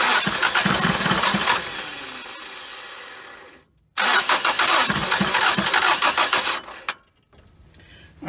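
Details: 1980 Dodge Colt Challenger (Mitsubishi Galant Lambda), carburetor just installed and float bowl filled: two bursts of even cranking with no catch; cranks but won't start because the throttle was stuck closed, possibly hitting the gasket, starving the engine of fuel.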